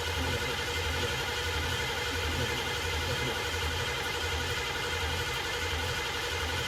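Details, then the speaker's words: 1969 Ford Mustang 302 small-block V8, first start after restoration: steady starter cranking about one and a half beats a second with no firing; fuel smell noted, timing suspected slightly off; cranks but will not start. "oh we got fuel smell oh it the timing's off a little bit"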